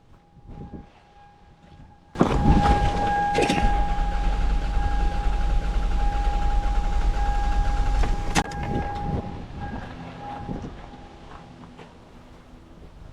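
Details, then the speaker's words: 2001 Toyota Sienna with a dead misfire on cylinder 2 (P0302), plug and coil already replaced: compression test on cylinder 2, starter cranking steadily at about 3.5 beats a second without firing; gauge reads no compression in that cylinder. "No, okay, we got no compression. I'm done."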